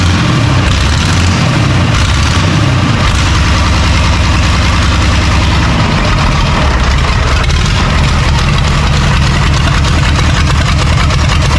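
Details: John Deere 3130 diesel tractor first successful start after sitting, leaking brittle fuel leak-off pipes; loud steady clatter settling to a lower even idle after a couple of revs, running evenly; normal diesel idle.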